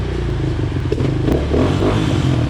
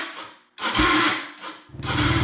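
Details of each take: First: Yamaha Raptor 250 race quad after clutch rebuild (Wiseco basket, Hinson discs, steels, springs, new hub, pressure plate, clutch rod), put in gear and clutch let out: steady single thump, rolls forward smoothly without slip or chatter. Normal running, clutch engaging. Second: Yamaha Raptor 250 ATV after clutch rebuild, in neutral with choke on: harsh grinding bursts with chattering low thump during cranking; bad starter suspected, starter clutch also doubted. Starter grinding noise.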